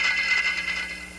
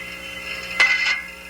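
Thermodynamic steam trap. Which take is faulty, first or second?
first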